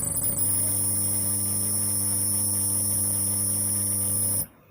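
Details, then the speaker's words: Ahuja SPA 1500 W PA power amplifier on a series-lamp test: loud steady low hum with a high whistle on top that cuts off sharply, worse as volume is raised; fault traced to the bass-treble board, which is to be removed and repaired. "দেখুন... volume বাড়ালে ওই শব্দটা তৈরি হয়। তো বন্ধু, এটাই হলো সমস্যা, এবং আমরা এই সমস্যার সমাধান করব।"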